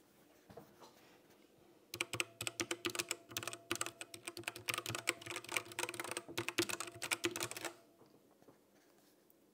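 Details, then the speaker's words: Cheap MageGee 60% mechanical keyboard, new, recorded with the mic next to it: bursts of rapid key clicks, each trailed by a faint metallic ding, some internal resonance pinging on every press, cause unclear; keyboard key ping resonance. "but it sounds it sounds weird right there's some sort of resonance in there where it's going binging"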